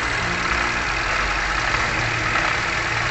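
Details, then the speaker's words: 2017 Toyota Grand New Avanza Type G, engine warm at idle: rough gritty "krek krek" crackling, customer complaint of rough engine sound; traced by stethoscope to worn water pump and alternator bearings. "ini kalau kita Dengarkan dengan seksama ada bunyi krek krek krek krek krek"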